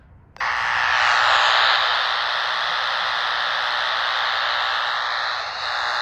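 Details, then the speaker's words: Radio at location 6, near poles on private property: steady harsh buzzing hiss with a faint rasp, strongest here and fading down the street; suspected power line noise, exact pole not pinned down. "But it's definitely close here, and it fades as we move down the street in that direction."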